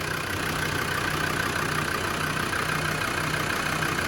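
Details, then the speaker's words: Land Rover Defender 90 Td5 diesel idling at first start after a top-end rebuild with the head gasket redone; kept off revs to let oil reach the turbo bearings. Even tick-over with a soft steady rhythm and faint hum, not tappety: healthy idle. "It's sounding really, really good. It's ticking over absolutely beautifully."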